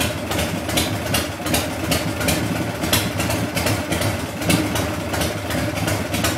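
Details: Harley Shovelhead engine cranks over evenly at about three beats a second with no firing at all; cranks but won't start.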